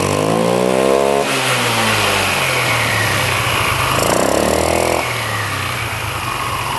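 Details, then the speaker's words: Free scooter engine restarted after refitting a clamp, bolt and nut that had come off, no spline damage: small two-stroke idles and revs cleanly with no rattle or knock; normal running, noise fixed. "Let's see if we can fire it back up now. See if it still makes that noise. There we go. Alright, well that was the problem."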